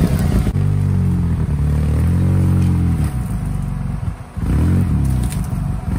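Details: Polaris RZR just after a head gasket replacement, first start-up: a low rumble stumbles as throttle opens and briefly drops out near the end, cutting out under gas. Owner suspects the mass airflow sensor, throttle position sensor less likely.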